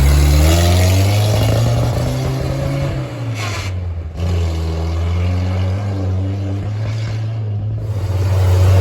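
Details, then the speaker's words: Willys CJ3B with a replacement F-head engine, original air cleaner fitted: deep, loud, tractor-like exhaust drone swelling with revs and dipping between them; the old muffler is terrible, and the oil pressure gauge is dancing. "okay it currently sounds like a tractor with that old uh muffler on it so I'm going to see if about getting a different Muffler"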